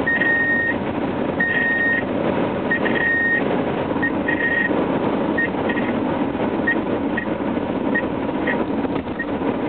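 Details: 1997 Subaru Legacy: an irregular high beep near 2 kHz chimes over road and cabin noise, starting randomly while driving for years; the door sensors are ruled out, and cutting the dash buzzer's speaker wires stopped it.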